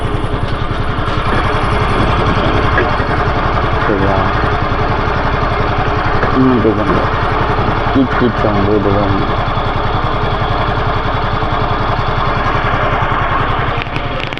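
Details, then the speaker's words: Yamaha Ray ZR 125 scooter, new, under 400 km, just after second service, running; steady engine with rapid chattering rattle, three or four beats a second; owner suspects metal trouble, mechanic suggests bearing going, unconfirmed. "சக்க சக்க சக்க சக்க சக்கன்னு கேக்குது."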